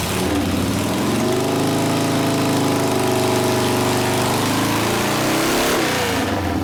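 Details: 1972 Harley Sportster XLCH Ironhead after case repair and engine rebuild (came in with kick starter unable to turn the seemingly locked motor): V-twin fires steadily, picks up cleanly on throttle blips, no knocks or misses; normal running.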